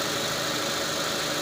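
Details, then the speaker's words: 2005 Mitsubishi Lancer with intermittent hard starting and no stored codes, idle heard at the hood: steady even smooth hum, no skips or stumbles, no misfire. "not sound like it's a misfire or anything like that"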